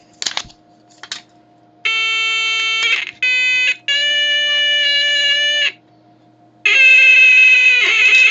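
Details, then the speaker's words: Major Morgan electronic toy organ after cleaning the keypad with alcohol: steady notes that waver and break up between presses, a warble from worn conductive coating under the top keypad membrane; no better yet. "that doesn't sound much better"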